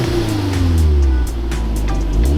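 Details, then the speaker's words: Mk1 Audi S3 8L (AMK 210) first start after sitting about 2–2.5 years, a bit smoky, fuel showing empty; revs rise and fall smoothly with no stumble, knock or rattle, stock exhaust note, sounding perfect: normal free revving. "That's awesome. Sounded perfect. That exhaust like makes it, doesn't it?"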